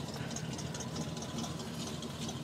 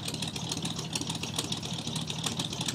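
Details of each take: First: 1985 Chevrolet pickup with electric choke, cold start around 30°F after three weeks sitting: fairly quiet, slightly uneven idle with faint rattle, lower high idle, sounds near dying but holds; owner expects it to smooth as choke opens, possibly something missing. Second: 1985 Chevrolet pickup with carburetor and electric choke, cold start around 30°F after sitting three weeks: slightly loose lumpy idle that seems near stalling, settling toward an even idle; normal cold idle.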